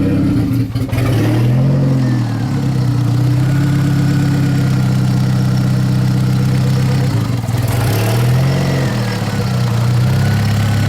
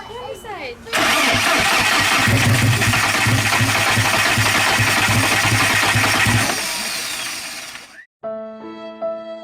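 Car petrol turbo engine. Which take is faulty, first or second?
second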